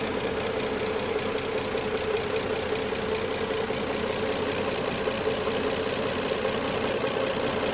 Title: 2007 Maxima Clicking noise